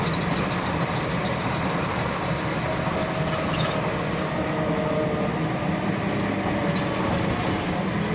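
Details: GAL WVL358 bus on route 486: faint light ticking over steady diesel idle, repeating in step with engine speed; clicking in time with engine speed, source unclear.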